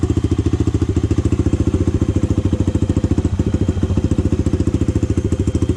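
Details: Honda 400EX single, first start after rebuild and idle-screw adjustment: even thumping at a fast idle, steady firing, no knock or valvetrain clatter. The owner says the carburetor still needs work.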